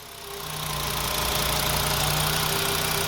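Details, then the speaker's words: 2007 VW Jetta 2.5 with P2279 and random misfires, cylinders 1, 3, 5: with hose disconnected and thumb over port, rough idle and high-pitched whistle settle to a smooth, even idle; ripped diaphragm. "see how smooth that is okay again this it's actually putting pressure on my thumb disconnects from right here"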